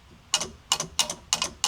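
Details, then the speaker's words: Five crisp, evenly spaced clicks about three per second as the horn relay pulls in with each press after a new three-spoke steering wheel install and battery reconnection; horn circuit working. "Oh, yeah. I hear the the relay clicking. She works."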